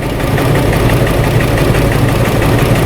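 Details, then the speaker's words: 2014 Chrysler Town & Country minivan, 3.6 V6, barely idling: uneven, lumpy, stumbling idle from misfires on cylinders 1, 3 and 5 (P0300, P0305); fuel trims -33 on both banks, low vacuum; new plugs and coils didn't fix it. "now we're gonna the car is missing it's barely running it's barely idling one three and five misfiring"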